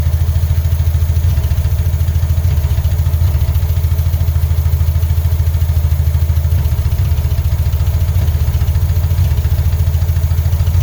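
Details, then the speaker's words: 1975 Porsche 914 1.8L engine, new Pierburg-type pump fitted, fuel just dribbling out: steady low idle with a slightly uneven pulse; fuel starvation from a weak fuel pump. "yeah can see it's just barely dribbling out of there it's completely inadequate"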